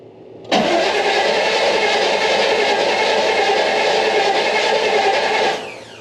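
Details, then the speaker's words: 1990 GMC Sierra OBS truck, abandoned project, after oil pan change, near-empty fuel gauge, fuel pump heard; starter turns engine evenly about five seconds with no catches or firing; cranks but no start from fuel starvation. "Oh, not a great start. I hear a fuel pump."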